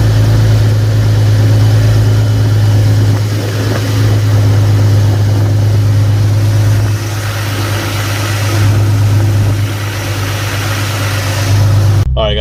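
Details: Nissan 370Z (VHR engine) started right after a serpentine drive belt replacement: steady, even low idle with no squeal, chirp or knock from the belt area. Normal idle.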